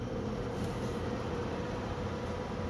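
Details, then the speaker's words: 2005 Lasko Pro-HV blower fan on low speed, not run in a while, owner suspects spiders inside: relatively quiet, steady low hum with a faint rough whirring and no air rush heard. Only internal noise is audible, and the motor sounds unhealthy. "and it's relatively quiet doesn't sound very healthy I can't really hear the air moving out of it at all all you can hear is probably internal stuff going on"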